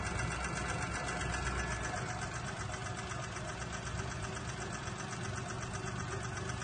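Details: Daewoo Matiz small petrol engine at idle with quick light top-end tapping 3500 km after a rebuild; camshaft replaced but lifters and valve guides not, suspected worn hydraulic lifters.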